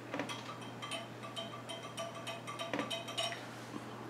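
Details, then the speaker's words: 1911 pistol slide casting on a granite surface plate: uneven light metallic clinks, about two a second, as the non-flat casting rocks back and forth; warped, poor-quality casting. "our slide is really no better you can hear that rattling back and forth"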